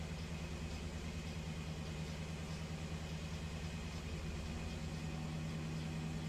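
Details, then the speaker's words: 2008 BMW 318 with intermittent misfire, cylinder 1 misfire code, engine idling during diagnostic injector cut-out test: steady idle hum with periodic rpm dips as each cylinder's injector is cut in turn. "so now testing all the injectors you can hear the engine dipping all right it's firing the injectors now"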